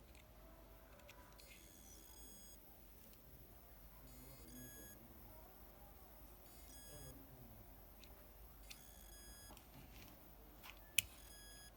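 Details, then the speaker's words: Laptop hard drive connected: bursts of high, thin electronic beeping from inside as the platter fails to spin; drive not displaying on the laptop. "I've connected the hard drive and there is a sound coming from the inside of the drive. If the platter inside fails to spin, there will be that sound."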